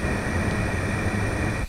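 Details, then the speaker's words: Yamaha YZ250F engine leak-down test after valve adjustment, hose held to the microphone at the intake: loud steady hiss of compressed air that cuts off abruptly; air leaking past the middle intake valve. "the left valve the right valve is nothing but here on the middle valve we can definitely hear that hissing noise"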